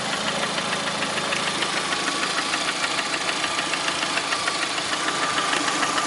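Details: Lada Priora with 21126 engine at steady idle: sharp, even metallic knock about three times a second; internal engine knock at idle, cause not pinned down.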